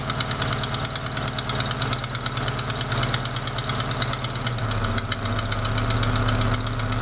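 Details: Sharp, fast ticking about three a second over a steady idle, resembling lifter noise; cause a leaking exhaust manifold gasket at cylinder 4, fixed by replacing the gasket.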